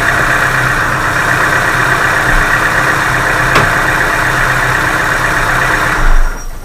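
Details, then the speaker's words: Chevrolet Aveo 1.5 engine on a cold late-November morning, after warm-up: hydraulic lifter knock heard at cold start has gone, leaving a smooth steady idle hum with no top-end ticking; lifter check ball seated or lifter refilled with oil. "Затем потише и затем по мере прогрева уже будет вот, буквально, видите, вы слышали, пропал этот зуб. То есть в гидрокомпенсаторе шарик встал на место и закрылся канал, через который выходило масло."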